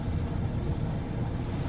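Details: Car at low speed after the muffler fell off twice: a deep, loud, coarse unmuffled exhaust rumble; loud exhaust from the missing muffler.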